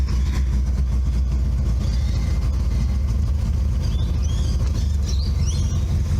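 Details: Subaru Brumby 1.8 litre boxer, newly bought restoration project, temperature gauge not working: constant low, smooth rumble with no knocks, misses or squeals; engine running evenly.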